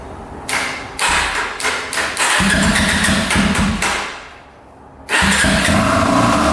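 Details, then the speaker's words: 2005 Yamaha TTR250 that had sat without starting, after replacing a carburetor needle that blocked fuel: fires after a few blips, revs up cleanly and settles into an even run, no ticking, misses or carb leaks; normal running. "oh yeah sounds pretty good [Music] running really good no leaking from the carburetor so I think we're all set sounds great no ticking"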